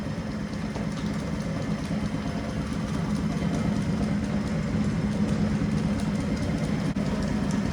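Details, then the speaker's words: Circa-1932 Bennett Model 450 twin clock-face gas pump, a barn find idle for over 40 years, running both right and left pumps after repair: steady even motor drone with no knocks or grinding; runs healthy. "Right hand pump on. Left pump on. She sounds healthy. It's amazing after all these years that this unit can actually run again."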